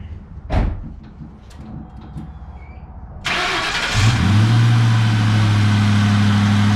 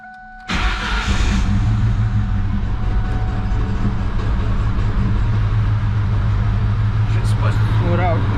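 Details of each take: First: 2004 Mustang Mach 1 with 60,000 miles, first start after refitting air intake and mass airflow sensor: brief crank, clean catch, then steady even idle with no misses or knocks; engine runs normally. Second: 2004 Mustang Mach 1 40th anniversary, 60,000 miles, with the mass airflow sensor unplugged: cranks and catches, then a very rough, lumpy idle with irregular stumbles; it started fine once the intake and sensor were back on.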